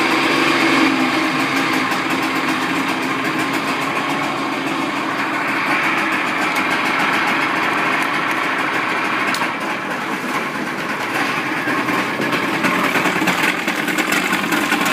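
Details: Evinrude outboard running in a water container after throttle cable adjustment: small outboard buzzes along at a steady, even pace with no misses or knocks; running strong and healthy.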